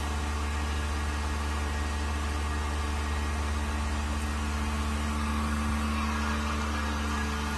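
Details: Vacuum pump on a newly finished 1600-litre mixer during a vacuum test with an empty chamber, vacuum about 0.09; smooth even whir with steady low tone, no knocks or surging, pump working stably with very low noise, meeting the vacuum requirement.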